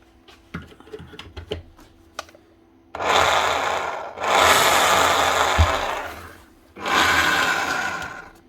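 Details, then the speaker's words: Makita HR5211C rotary hammer, over 10 years old, before repair: the motor spins up in smooth bursts with only a whirring drone and no hammering beat. It runs very free, piston not moving. The cause found was a broken connecting rod. "It's a bit odd. It's got no hammer at all. Can even hear the piston."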